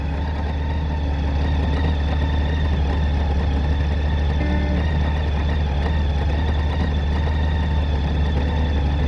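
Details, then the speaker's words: Worn-out, abused Honda GL1800 Goldwing idling with a deep steady rumble and a light uneven rattle from a failing alternator bearing. "hear that if you can hear that that's what the alternator bearing death rattle sounds like"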